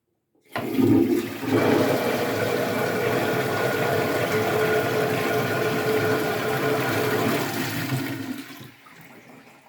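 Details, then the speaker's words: Toilet flush after repairing its fill-valve muffler: strong rush of water easing into a soft, even refill with no shrill hiss, a big improvement over the noise without the muffler. "yeah i think that did make a pretty big improvement"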